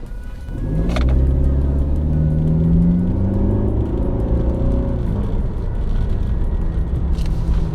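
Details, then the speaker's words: Mercedes C250 W204 turbo with a Turbosmart Kompact blow-off valve fitted and the charge pipe reconnected. Revving rises and falls cleanly with no rattles or misses, and the engine sounds healthy. "Well, I don't know if you could hear that, but it sounds pretty good."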